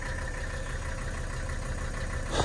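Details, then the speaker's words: 1984 Mercedes-Benz 300D turbo diesel W123 idling after start, car with a minor vacuum leak causing 5-7 second shutdowns; steady low diesel clatter, even rhythm with no misses or knocks; idles smoothly and sounds healthy. "I'll start it up and let it run here for a little bit. I'm always impressed how great this car runs and starts."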